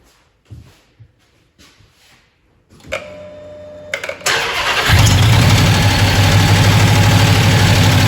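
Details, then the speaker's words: Supercharged 2010 Dodge Challenger Hemi V8 at idle with the coil reconnected on the cylinder second from the back: heavy, regular popping about three per second that seems to go into the intake. Valvetrain rattle from a loose rocker shaft, with a displaced pushrod and a broken head casting found. "It sounds like going into the intake so I'm thinking that we have a valve issue here."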